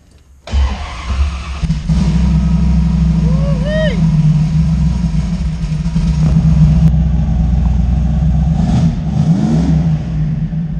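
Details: Fox body Mustang with 358W engine and 80mm turbo, after adding missing ground wires that had caused a no-start; cranks and catches at once into a strong, even, lumpy idle with a couple of throttle blips. Normal start and idle.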